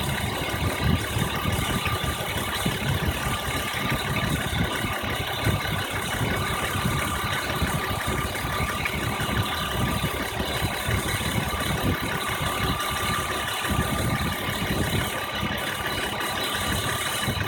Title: BMW 1997 M3 E36 chirping noise